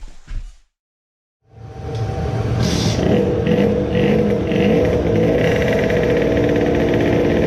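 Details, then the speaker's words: Moped two-stroke on the dyno with a newly made high-power expansion pipe: buzzy revs falter and stumble as it starts pulling under load, hesitating on acceleration; owner thinks it is running lean again, as before when a larger main jet was needed. "it again had some stuttering. when you start to accelerate, it seems to be "wondering" it is wondering whether to start pulling or not."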